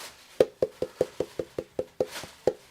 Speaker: Problem is someone's trodden on the speaker and bent it, so now it sounds like clunk clunk clunk instead of a nice deep thud because it's rubbing against the pole piece, which is a bit shit.